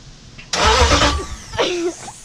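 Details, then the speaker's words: 98-03 Dodge Durango/Dakota with a Hemi swap, starter jumped after a suspected ground issue: loud burst as the starter turns the engine over, then fades without catching; cranks but no start, not getting fuel, ignition not yet working. "I haven't gotten the ignition to do it yet but I know it turns over um it's not getting fuel"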